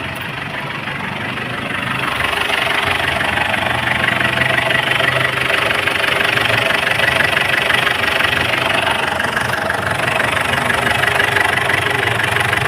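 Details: Diesel engine with fault code P0093 (fuel system large leak) that starts but dies when accelerated: steady idle clatter rising slightly after start, then even, run for an injector backleak check. Leak source unconfirmed.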